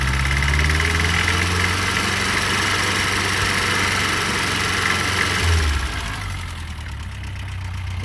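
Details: Fiat 600, oil light off and charging: steady idle with quick, fairly even ticking clatter about three per second; a bit quacky, valves need adjusting.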